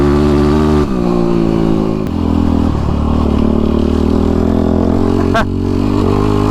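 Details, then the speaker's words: Yamaha YFZ ATV riding with a new tuned Vortex ECU replacing the flashed stock ECU: engine pulls cleanly through the revs with an even, steady note, good power, and no backfiring or pops on deceleration. "So, yeah. First thing I feel good power. It's steady. I'm not getting any backfiring right now on del. So, no backfiring."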